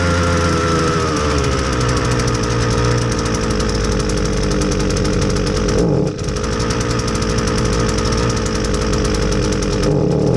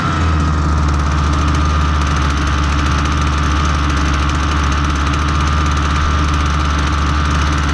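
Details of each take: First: Husqvarna 326LD string trimmer, low on power and running poorly on clean fresh fuel: buzzy two-stroke holds an uneven speed and sags twice without picking up cleanly; fuel starvation from a stiff carburetor metering diaphragm. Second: Husqvarna 326LD trimmer after fixing a stiff carburetor metering diaphragm, on known good fuel with no attachment fitted, so idle sounds fast: steady, even two-stroke drone with no surging or stumbling, running properly.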